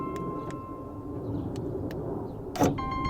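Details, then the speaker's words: 2012 Honda Pilot EX rear hatch glass lock actuator (part 74811-SZA-A01) tested after replacement, before refitting moldings: short motor whir, crisp clicks and a solid latch thunk; glass opens and closes, actuator cycles cleanly. "When you slam the the glass, it should knock this back into the closed position. So, that's pretty much what we're testing here."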